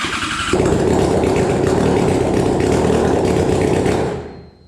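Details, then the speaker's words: Flood-damaged Yamaha FZ6 Fazer, starting after cleaning the intakes and flushing the oil, using parts from another FZ6. It catches on the starter, runs raggedly for about four seconds, then dies; water was later found in the fuel. "let's see we have fuel pump and let's see oh it started for a brief second there let's try again"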